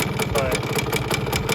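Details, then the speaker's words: 1971 Suzuki TS185 two-stroke, just revived after years sitting, idling a little too low: uneven idle with a fast, steady metallic ticking on top, something rattling inside; cause not yet found, possibly busted. "doesn't sound super at idle which is to be expected there's a lot a lot to do still on this bike um it sounds like something's rattling in there so I don't know if it is actually in good shape or not"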